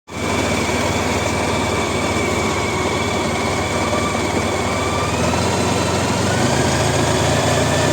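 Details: Honda ST1300 at idle: steady idle with a loose, uneven metallic rattle riding over it throughout; source of rattle unclear.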